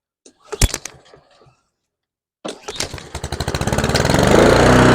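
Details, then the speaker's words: Husqvarna HU700F mower after a GVC 160 carburetor swap, first start in 7 years: a couple of pulls, then it catches and revs with a pulsing, hunting surge before settling. Owner thinks it was lacking fuel; otherwise it sounded good. "it surged a little bit in the beginning there I'm thinking that was because it was lacking fuel"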